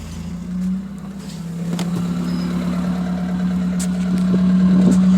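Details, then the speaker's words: 1984 Toyota Corolla AE86 with Weber carburetor, exhaust cut off with no muffler: loud, raw, droning note climbing slowly with revs, plus a rattle; silencer missing. "right now the exhaust is cut off it's just right there there's no muffler so I'm looking at an HKS unit that's on eBay right now for it"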